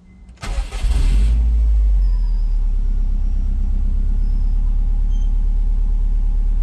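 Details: Subaru Bugeye WRX just after swapping in a Deatschwerks 200 fuel pump, hoping to fix a running issue: starter whirs briefly, engine catches within a second and settles into a smooth even idle; slight pump hum, no fuel leaks.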